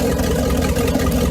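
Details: Mercruiser Bravo sterndrive after sea water pump impeller replacement and flushing out impeller chunks: steady even idle, low rumble, smooth consistent beat, running healthy.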